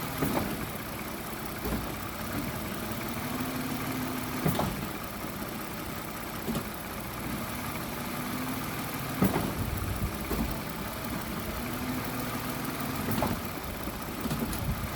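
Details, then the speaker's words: 2014 Toyota Sienna in gear with right front wheel off the ground, after tightening the loose top engine torque mount bolts; engine runs evenly with wheel spinning free, light ticks, no clunk; drivetrain sounds solid. "Well, I can hear the torque because the wheel is suspended, but there is no clunk."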